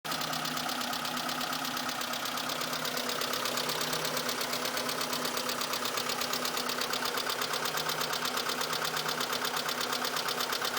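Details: Mitsubishi Colt petrol engine idling with a light, steady ticking, about three ticks a second, over an even hum; the ticking at idle goes away after a few minutes.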